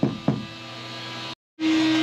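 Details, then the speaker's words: CNC router cutting FR4 fibreboard on the second pass at lowered spindle RPM, zero height set manually: light knocks, a brief drop-out, then a clean steady mid-pitched spindle tone, cutting smoothly and normally. "So we're on the second pass now, and I've lowered the RPM. You may just be able to hear the tone of that, and still cutting, still looking pretty good."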